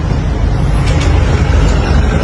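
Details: Honda ADV 160 scooter, which had been bogging and not starting due to rusted magneto and spark plug cap, idling with a low, steady rumble, no sputtering, during testing with the old spark plug refitted after cap replaced.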